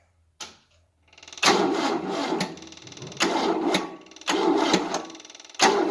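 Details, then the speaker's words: 1988 Tennant 255 Series II sweeper, long unstarted, new fuel line, on a booster: four short, sluggish, labouring one-second cranks with no firing; slow cranking, no start. Owner plans to jump it from another battery. "It's not going to go right now, so let me see if there's a good battery here and see if I can jump it with a battery."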